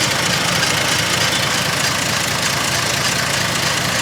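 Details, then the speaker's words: 1948 Dodge B1C pickup, flathead six (about 3.8 L, rebuilt years ago) with a new starter solenoid and ignition switch, after sitting unused: a steady, even, smooth idle, no knocks or misses; the light tapping is the voltage regulator. "it's now starting on that um but it runs absolutely beautifully"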